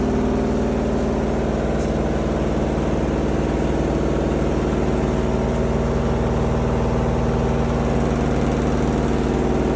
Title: Front load washing machine Sound Problem